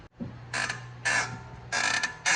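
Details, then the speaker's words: BMW: four loud, shrill creaks in a row each time the brake pedal is pressed, from dry pad and caliper contact points; treated by removing the caliper with a 7 mm Allen and treating rusty contact points. "All right, if you got squeaking brake on a BMW, we're gonna show you the fix for this."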